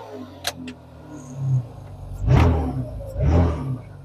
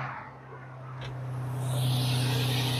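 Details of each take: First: Nissan V6 3000-series engine with 219,000 miles loaded with torque. It rises in two short bursts, each with a heavy low thump, as a broken motor mount lets the engine slam into the firewall. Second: Nissan V6 3000-series engine with 219,000 miles, just started first try in a cheaply bought car. A low, steady hum firms up into a smooth idle with no knocks or misses, a normal idle.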